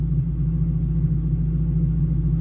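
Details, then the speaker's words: 2010 Mustang GT 3V with ON3 turbo kit, start-up idle while the turbo gets lubricated: a deep, steady rumble with an even beat and no ticks or knocks. Healthy turbo V8 idle. "See, fires right up. Sounds good. That turbo get good and lubricated, and then I'll rev on it a little bit for you guys."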